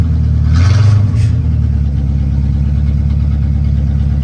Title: Welp the gremlins are back! Got a rough idle when in drive or reverse. 🤷🏾‍♂️ #chevrolet #corvette